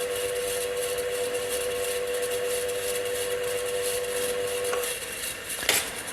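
A running ceiling fan gives a steady high hum over a rough, hissy grinding from a dry bearing.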